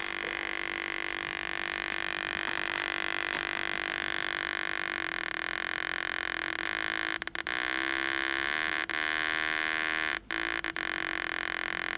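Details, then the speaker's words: 1949 Packard Bell 12-inch barn-find TV, speaker hooked to the secondary of the vertical output: a steady buzzing tone cuts out in short gaps as the control is turned, showing crusty, dirty pots; the vertical is working. "crusty pots, hear them? Hear the dropouts? So the vertical's working."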